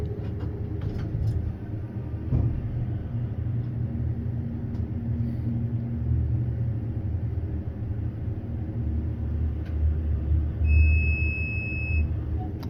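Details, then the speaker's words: Unbranded hydraulic elevator, GAL JetPlus VR fixtures, serving LL-2, heard riding inside cab: low steady rumble with faint hum and chime near end; rider suspects low on oil, unconfirmed. "Sounds like it might be low on oil."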